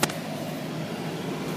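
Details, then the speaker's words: 1999 Volvo S80 petrol engine in park: steady, even smooth idle with no knocks, misses or squeals; engine healthy. "put the car in drive that's your park yes you've got nice smooth idle nothing crazy"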